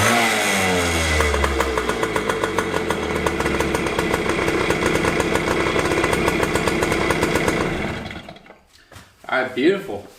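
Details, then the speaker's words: 2001 JR80 five-speed two-stroke dirt bike that wouldn't idle, after carb tuning (air screw 1¼ turns out, idle screw adjusted): buzzes high then falls off cleanly into a steady idle without bogging; running healthy. "But it sounds good. Like it should rev up like that, nice and high, and then it should slowly drop, but not too slowly and not too fast. It's a nice easy drop down to a nice steady idle."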